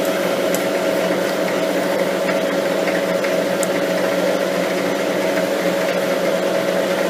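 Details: Lathe turning a lapping arbor, lathe slowed and steady rest added after chatter began on light cuts: even, steady cutting hiss with constant mid tone, no rising squeal or rattle; smooth chatter-free cut before a spring cut.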